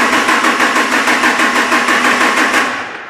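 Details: Sluggish, labored cranking at about three compression beats a second, with almost 4 V of difference measured between the two batteries during cranking; slow cranking from voltage drop at a poor battery terminal connection.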